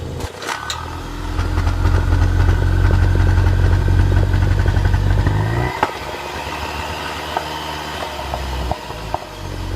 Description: Misfire due to bad spark plug